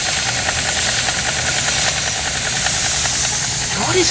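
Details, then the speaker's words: Steam engine, one of three being run, slowed to a comfy speed: loud steady hiss of escaping steam drowns the faint quick chuff; steam leaking while running, to be fixed; steam leak. "yeah it it seems to be leaking steam out of there so let me fix up"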